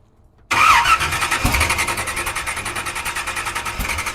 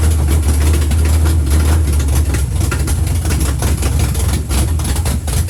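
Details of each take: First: 1976 Chevy Nova drag car that sat for years, fuel poured into the carburetor bowls, not all spark plug wires connected: starter spins the engine with a quick, steady chug of about six beats a second but it never catches; crank, no start. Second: 1976 Chevy Nova drag car, sitting for years, rusted; strong even idle with steady firing, no knocks or stumbles, warmed to 190 without fan, carburetor needs cleaning; normal running after sitting.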